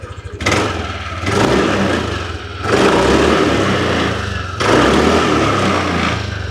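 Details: 2022 Yamaha Aerox top-model scooter with original exhaust: idle is quiet and steady, and throttle blips rise and fall smoothly with no stumble, hesitation, misfire or white smoke; revving normally.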